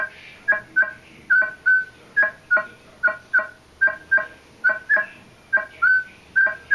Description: I noticed that once it got past a certain point it would still give a signal, but there was also another sound mixed in with it that sounded kinda like a null, but at the same time had its own quality like somebody knocking on a piece